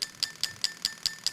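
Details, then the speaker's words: LS400 96-97 non-VVTi V8 injectors tested on a new plug-and-play harness for an IS200, cylinders 1, 3, 5, 7 in turn; crisp, evenly spaced ticks about five per second, injectors firing cleanly and working normally. "yeah they're clicking away number three yeah they're clicking away number five yeah they're clicking away number seven yeah that clicking away"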